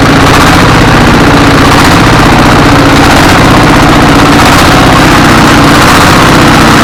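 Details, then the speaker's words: S1115 24 hp single-cylinder diesel with thick black smoke: loud chugging with uneven surging as speed rises and falls; governor and balls fine, injection pump suspected. "ini gasnya naik turun kemudian asapnya banyak baik ini akan kita kontrol bagian daripada kemungkinan adalah bospom nya dan"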